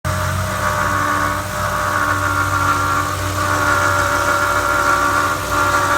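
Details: 2011 Ford Crown Victoria 4.6L at idle: constant high whirring hum over the engine, no knock; water pump bearing failure, and failure looked imminent when replaced.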